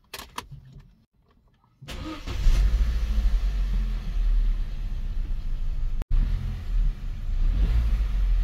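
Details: 2009 Opel/Vauxhall Astra H 1.4 16V 90PS petrol after throttle body cleaning: quick crank, catches cleanly, steady low drone swelling with throttle, no misses or rattles; runs healthy.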